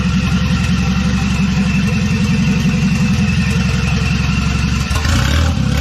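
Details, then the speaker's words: Wagon after installing GMC Syclone/Typhoon turbocharger, first start after priming oil: starts easily, steady even engine pulse with clean throttle blip, no knocks or rattles; normal idle and revs, though factory hard oil feed plug leaks. "starting starting really easily though okay that should be good so [Music] ah that sounds cool"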